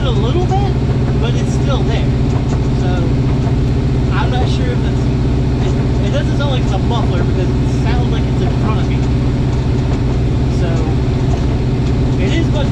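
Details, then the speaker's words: Driving under load after new headers and a new slip-fit header-to-midpipe connection replacing a warped V-band flange; steady low drone with a light, irregular rattle; not leaking at the collector; owner suspects blown-out mufflers; exhaust rattle, source unknown. "install of the new exhaust connection is complete uh success however there is still a rattles somewhere but I have no idea what the rattle is because I've replaced the headers"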